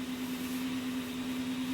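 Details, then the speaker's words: Showtec 1W RGB LED PAR64 light fixture, about 12 years old: its small constantly spinning cooling fan has a worn bearing producing a steady low droning hum with a rough growling edge that gets worse as it runs. "so it's not much on its own but it does get worse"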